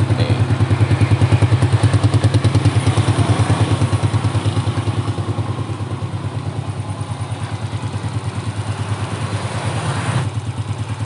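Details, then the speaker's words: Motorcycle engine after rebuild with modified head, valve clearance set and carburetor cleaned and tuned, idling with a steady, even putter and no knocking, ticking or misses; normal smooth idle. "Tinggal langsung kita hidupkan. Nih guys, bisa kalian dengar sendiri ya, suara mesinnya halus."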